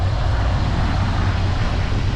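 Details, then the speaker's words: 1963 Pontiac Catalina 389 V8, not run for 12 years, revived: deep, even burble at idle, steady with no misses, knocks or ticks, warming up with oil pressure; some blow-by noted; running well. "Sounds like it's running pretty good. I'll let it warm up, then we'll take her around the block."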